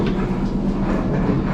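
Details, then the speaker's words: Gas Kenmore dryer running: loud, steady low rumble like a rock tumbler, indicating worn drum support rollers, before replacing rollers, belt and idler. "notice how loud that is that's a very good indication that the guide rollers that the drum rides on are bad"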